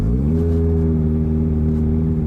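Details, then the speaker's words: 2009 130 hp first-generation Evinrude E-TEC outboard being winterized, high idle lever up: a steady, raised, smooth idle after a brief rise in pitch, meaning normal fogging mode injecting extra oil. "as you can hear the engine is now idling higher and the lights are all flashing this is an indicator that the engine has entered the fogging mode"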